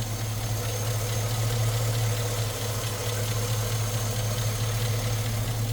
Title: 2006 chevy silverado Tick (coming from exaust manifold leak, NOT LIFTER TICK) #silverado #lifters